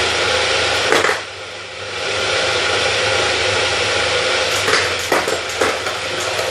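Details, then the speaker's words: Elite Turbo Muin bike trainer: steady high whirr with uneven pulsing whoom-whoom surging as it spins; originally only chain and fluid were audible, now knocking inside, owner suspects something internally misaligned or angled. "Now you hear like a, it's like something's no positioned right, and it's, instead of being like in a straight line, it's kind of angled and you're getting like a whoom whoom whoom whoom whoom whoom noise."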